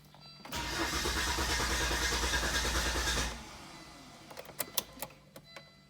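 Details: 2000 Volvo S70 five-cylinder with aftermarket exhaust, fuel-relay troubleshooting; fuel pump heard priming: starter churns at an even pulse for about three seconds without catching, then a few loose clicks. Extended cranking, no start; cause suspected, not confirmed.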